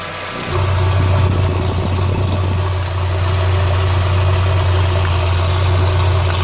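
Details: 1994 Ford Mondeo Mk1 1.6 idling low and rough with a lumpy, wavering beat and slightly hunting revs; owner suspects the idle air control valve or MAF sensor, not confirmed.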